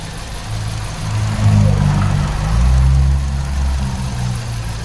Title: 2006 Kia Rio 126,079 Miles Random Misfire Walk Through